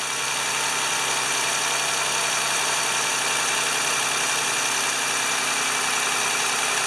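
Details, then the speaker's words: 2011 Toyota Sienna after alternator replacement, battery reconnected and relearning idle, charging 13.96 V: even, steady idle with smooth hiss and faint belt whine, no knocks, misses or surging; normal idle. "let's see what happens when we Crank It Up and we've had the battery disconnected so it may take a minute to learn its idle 13.96 we're in good shape"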